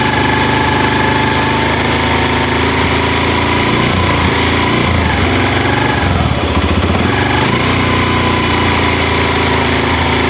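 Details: Honda Mega Pro mono single-cylinder, after an air leak was found and the air screw adjusted to fix hard starting and idle dying: steady tick-over, brief rev dip midway then settling back, even beat, no hunting; idle now set.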